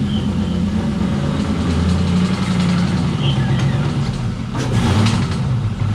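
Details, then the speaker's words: LS-swapped 600hp BMW E36, old 4.8 V8 after a hard spin while drifting, oil starvation suspected: lumpy idle with an irregular deep knock, seeming top-end, but metal shavings on the dipstick point to rod knock. "doesn't sound good i'll be honest definitely sounds sort of like the top end but the fact that there's metal shavings on the dipstick it just kind of says uh says it all"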